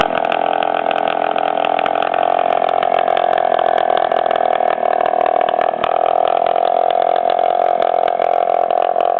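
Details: 1997 Suzuki DS80 two-stroke idling with exhaust pipe broken off the cylinder head: loud raspy chainsaw-like buzz from major exhaust leak at the head.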